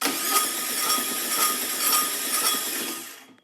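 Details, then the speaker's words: 1967 VW Karmann Ghia engine, abandoned 45 years, on a stand for a start attempt: cranking with a rough rhythmic scrape about twice a second and a thin ringing tone; scraping at starter or flywheel, owner suspects starter or a warped flywheel. "whoa that sounds weird doesn't it what is going on in there it doesn't sound right sounds like something's scraping"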